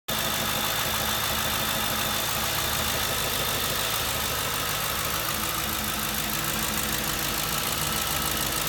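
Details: 2007 Ford Crown Victoria idling with an uneven, stumbling beat that skips now and then: misfire at idle, cause not yet found.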